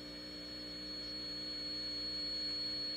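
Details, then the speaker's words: Heathkit IT-12 signal tracer under restoration, measured at the speaker coil with volume raised: a steady test tone rides on a low electrical hum injected early in the circuit. The rectifier is being investigated as a possible source. "we're gonna hear the sine wave or we're gonna see the sine wave modulated on to this noise like AM watch this"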